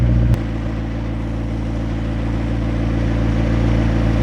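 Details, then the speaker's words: McLaren being readied for an emissions test, restarted after its first full drive and first hard run: sharp catch, then a steady, even idle with a smooth low burble, no knocks and no smoke; normal start and idle. "Yeah, that sounds normal to me, luckily."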